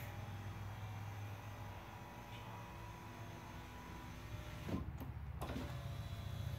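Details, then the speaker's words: 2008 Saab 9-3 Aero, passenger rear door, after window regulator replacement. Steady low motor whir with clean thumps at the stops; auto down works and the window regulator operates smoothly. "so the auto down works still try this switch"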